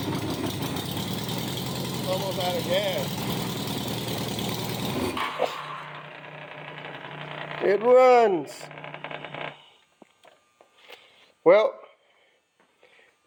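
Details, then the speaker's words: 1987 Honda Gold Wing GL1200 bike bought with electrical problems; after the battery was charged for a couple hours it runs perfectly. Loud, raspy open-header flat-four idle, even, for a few seconds, then the engine stops: normal idle. "gold wings has got to have a very very strong battery in order to run correctly so put the battery on charge let it sit for a couple hours and uh hooked it up thing runs perfect"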